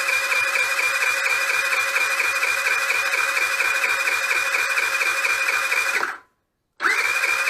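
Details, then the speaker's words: Nearly new GY6 4T scooter at 900 km that won't start, compression test while cranking: the starter whirs high and fast with light pulses and no heavy compression strokes, stops and restarts. No compression. "A czyli nie ma sprężania a nie ma sprężania na takim stężeniu nie zapalić"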